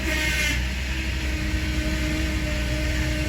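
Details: Power steering pump whines steadily over the idling engine from air in the fluid, heard at startup with the front end raised, after vacuum bleeding at 20 inches, before turning the wheel lock to lock ten times.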